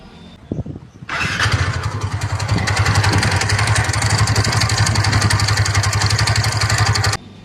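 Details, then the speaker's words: TVS NTORQ 125 scooter after starting: steady knocking of about four per second over the idle, from a failed magneto starter one-way clutch whose small springs and balls wear out, mimicking crank noise. "इसमें होता क्या है guys जो हमारा magnet का one way होता है वो खराब हो जाता है। इसमें अंदर छोटी-छोटी स्प्रिंग और गोली होती है वो भाई खराब हो जाती है।"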